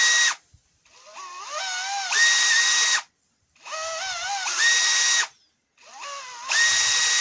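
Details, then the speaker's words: Makita DHP483 cordless drill after the trigger switch fix: three clean trigger pulls, each whine rising smoothly and holding steady without cutting out. Normal motor run, no longer intermittent. "The trigger's a lot cleaner now. It's not intermittent. It was cutting in and out the last, and you could get a trigger pulled in and it wouldn't even work."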